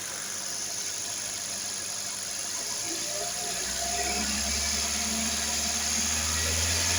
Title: xcent engine noise